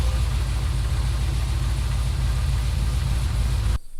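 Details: Chevrolet SS with supercharged LSA V8, aftermarket heads, headers and catback, just after an oil change: deep, loud, lumpy idle with a steady rough cam pulse and no knocks or squeals; normal idle.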